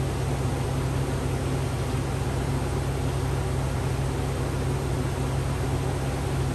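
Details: 2004 Chevy Avalanche 5.3 after water pump replacement and coolant refill, still warming up: steady, even low idle hum over a constant fan-like rush, with no knocks or squeals. Normal idle.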